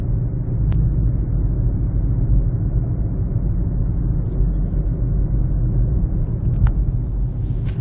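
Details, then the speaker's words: 2007 Honda CR-V, recorded while driving: loud, deep, steady droning rumble from cupped, flat-spotted Black Lion front tires about 6 years old. Noise moved from rear to front after rotation and was gone after replacing them with Bridgestone Ecopia tires. "nd when I rotated the tires and the noise is coming from the front so I definitely know the tire the sound is coming from this one so it's really uh loud noise"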